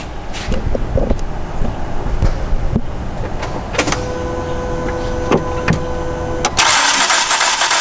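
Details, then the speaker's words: 2005 Dodge Neon 5-speed with valve cover off, non-running; cranks fast and light with no compression rhythm, camshaft not moving, starter spinning a free engine; timing belt likely broken. "Nothing was happening on the top end. The cam wasn't moving at all. So That makes sense with the belt broken."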